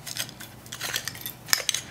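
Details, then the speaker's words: Original water pump from a Honda Civic, failed about 30,000 miles after a timing belt job done without pump replacement, damaging the belt; turned by hand: irregular gritty clicking and metallic scraping, notchy, seized bearing. "it's it's notchy that's seized up it's it's not what you want in your vehicle at all"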